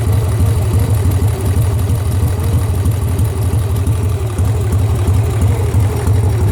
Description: Sportster engine knock. Am I hearing things? Do I have a bad lifter?